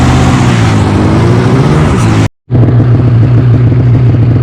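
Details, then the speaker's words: 2015 Polaris Switchback Assault snowmobile two-stroke after spark plug replacement for no-start: loud steady burble with an even beat, no stumbles or dropouts; started on second pull, normal idle. "start it up second full [ __ ] rights so the problem's fixed"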